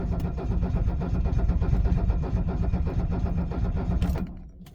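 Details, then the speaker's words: 1978 Mercedes 300SD diesel, 47 years old, cold start at 22°F without ether. Steady starter churning at about three compression pulses per second for four seconds, with no firing. Cold diesel cranks without starting. "we're draining the batteries I'm sure you can hear that cold is not kind to these things and yeah each cycle still takes just as long"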